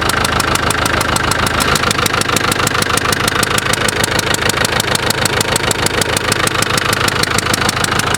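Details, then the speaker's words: Land Rover Discovery 1 300 TDI diesel at idle: sharp rhythmic chuffing tick on every firing stroke; heavy use of Easy Start starting fluid blew one of the injector seals, letting compression escape. "That's why you don't use easy start in your car. What's happened is, I've used that much easy start, it's blown one of the injector seals."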